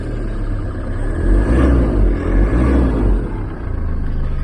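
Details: Diesel van fitted with a StopMyEngine 12V Bluetooth immobiliser, starting once the phone reconnects: engine catches and settles into a steady rumbling idle with a slight swell, smooth and even; normal start and idle.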